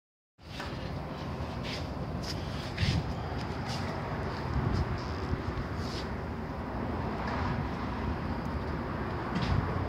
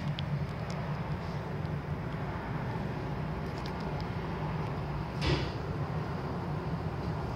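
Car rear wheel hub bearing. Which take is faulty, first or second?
first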